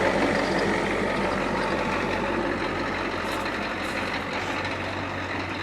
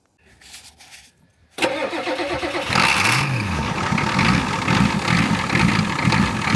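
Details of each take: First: Yellow truck pulled from the weeds after long sitting, started after installing a new battery: steady, even idle with a low drone and no misses or knocks; runs healthy. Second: Old yellow farm truck: after arcing the starter with a big pry bar it cranks briefly, catches abruptly with a quick rev and settles into a loud, slightly uneven, heavily smoking idle.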